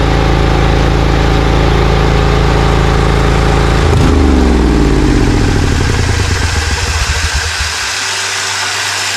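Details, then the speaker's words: Briggs & Stratton Vanguard 20 HP V-twin zero-turn mower that loses power and pops when warm: a lumpy, uneven beat. Compression is about 91 psi and a new plug gapped 0.030–0.035 in was fitted. Pulling one plug wire kills it, so it runs on one cylinder. The ignition coil wire is checked next. "Okay, so we took the spark plug wire off and it instantly died, so that means that we did not solve the problem."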